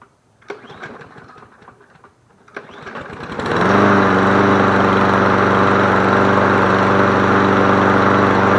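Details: Toro 22-inch Recycler mower, reassembled after previous owner took it apart, good compression, fresh gas: a few pull-cord tugs, then it catches and settles into a smooth, even, steady idle with no misfires; healthy engine.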